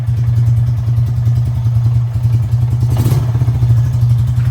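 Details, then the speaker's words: 1999 Honda Foreman TRX400FW ATV, repaired from no spark, morning start: slow, even low thumping idle with one brief clatter, running steadily though idle possibly a little low. "Oh, maybe she doesn't want any choke. Look at that. Might be idling a little low still,"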